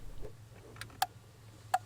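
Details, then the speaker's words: Skoda Fabia Mk1 1.9 PD horn relay, under the dash integrated into the voltage control unit, ECU-controlled circuit, heard inside the cabin. Two crisp single clicks about 0.75 s apart; relay switching normally. "So if we go inside the car, we can see if we can hear the relay working. The relay is under the dash, integrated into the voltage control unit. You can just hear it click"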